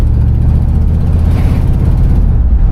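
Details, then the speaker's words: Customized 1964 Buick Electra 225 with a 350 V8, on a test drive, accelerating after a stop sign with no rattles heard. Deep, even V8 rumble pulling smoothly under throttle, no knocks or misses; strong, healthy motor, normal acceleration. "let me get my foot on here. Yeah, she's moving. So pretty strong motor, definitely solid car."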